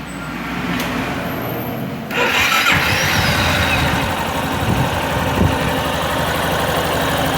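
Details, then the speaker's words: Yamaha Fazer 250 single-cylinder after the cam chain tensioner was released and reset: starts and settles into an even idle, the earlier top-end "tek-tek" tapping gone; tensioner now in perfect condition. "só a diferença aí o barulho dessa moda acabou aquele tektek o acionador agora está em perfeito estado"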